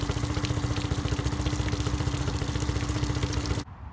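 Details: Honda BF15 15HP outboard on a 15 ft Smokercraft Alaskan aluminum boat during carburetor idle speed adjustment: steady low even putter, no misses or surging, until it cuts off; normal idle.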